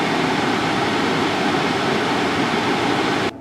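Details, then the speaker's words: 2019 Subaru Forester climate blower at top speed, in the cabin: steady, loud rushing roar of air, no pulsing or rattle, cutting off sharply, like a 747 jet engine; working but noisy. "If you turn this up all the way, it's loud. Sounds like I'm on the back end of a 747 jumbo jet engine."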